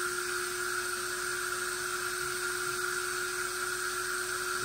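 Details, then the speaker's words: Metal Tesla turbine in a low-pressure, low-rpm test, given a small bump in input. A smooth, steady high whine over an airy hiss with no rubbing or rattle. Normal turbine spin-up. "i just gave it a little bump turned it up a little bit sounds good sounds really"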